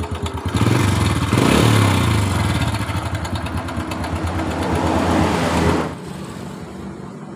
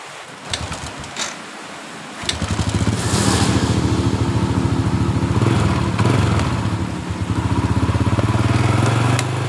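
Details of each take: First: 2007 Honda Supra Fit New at an uneven idle: a steady light clatter about four times a second from around the cylinder head; the cam chain was found very slack and rattling. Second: 2007 Honda Supra Fit New after rebuild, previously clattering around the cylinder head, usually the cam chain: fires up into an even single-cylinder putter with no clatter; running smooth.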